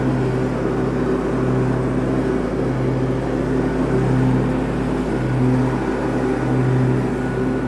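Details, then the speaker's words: Cub Cadet garden tractor after repair for smoking when hot, exhaust manifold, muffler and air cleaner refitted: loud steady drone with mower deck engaged, pitch constant with no missing or knocking; engine carries the deck load normally. "Well, it started right up. Let's see how we're gonna do. Hang on, this will get loud. Let me turn on the mower deck."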